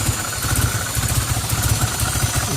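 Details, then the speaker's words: 1990 Toyota Celica Alltrac ST185 with new plugs, wires, cap, rotor and fuel filter, idling rough with a little smoke and struggling; vacuum gauge at the throttle body reads 0 with the AFM disconnected; stalls on throttle; vacuum leak suspected. "It turns on and stays on like that. A little bit of smoke coming out, and it struggles"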